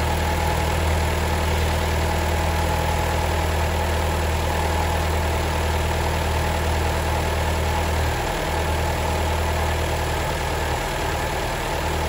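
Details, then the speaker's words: Alfa Romeo petrol engine at idle: a dull, heavy diesel-like clatter under a low drone; the owner suspects the failing oil-operated variable valve timing gear component. "that thing if it starts failing your your alpha will sound like a diesel an"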